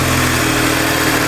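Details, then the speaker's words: Stolen, crashed, fire-damaged Audi TTS Mk2 8J first run after borrowed battery and coil packs reconnected; smooth, even idle with steady low drone, no knocks, ticks or misses, sounds sweet: normal idle. "Oh, it sounds sweet. It does sound nice, yeah. We're calling that a win."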